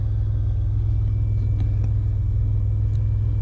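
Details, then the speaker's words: 2001 Chevy Impala during fuel sending unit replacement, full tank: engine still running after earlier rough idle from air in the fuel line; low, smooth rumble holding constant idle without surges. Normal idle. "so in fact the engine's still running that's a great sign"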